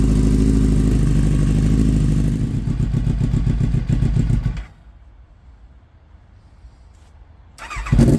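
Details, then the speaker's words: Kawasaki ZX9R, 42,965 miles, first start of project bike: lumpy uneven idle pulsing about four times a second, then dies and restarts; won't hold idle, seems not firing on all four; carb clean and rebalance planned, plugs possible. "So I guess now we know what was meant by it cuts out. It's not idling, not for long anyway. And as you probably heard, it sounds like it's not firing on all four neither."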